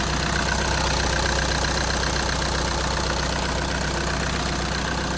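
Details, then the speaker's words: Mk6 VW Jetta 2.0 TDI common-rail diesel after valve cover gasket and injector seal replacement: even, quick diesel clatter at steady idle, no misses or knocks, no leaks; healthy and done. "Well, the car's done. Hopefully you can hear me while it clatters away. But it's all good to go."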